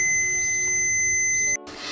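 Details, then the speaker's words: 1975 BMW R75/6 airhead boxer, ignition points cleaned and tested with continuity meter: steady high beep for about 1.5 seconds, cutting off cleanly as points open, confirming good points contact. "as you can see here i've connected the points up to my meter which beeps when it sees a short circuit you can hear it beeping away there if i now open the points off on off on so i know that those those points are making good contact"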